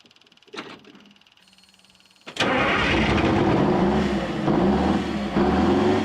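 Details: 1979 GMC Astro cabover, 8V92 2-stroke Detroit diesel that sat 7 years, first start once the fuel system was full: after a couple of clicks it catches and settles into a steady, even drone with a low pulse, running healthy.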